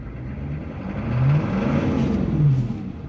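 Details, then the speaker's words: Late-1990s (1998, W VIN) 6.5 diesel with touchy throttle and surging, aftermarket lift pump replaced about a year ago: after a light blip to about 1%, the revs climb and keep rising for a second after lifting off. Throttle hang / RPM flare. "I lift it off of the throttle and they kept going up for a second it's never done that before"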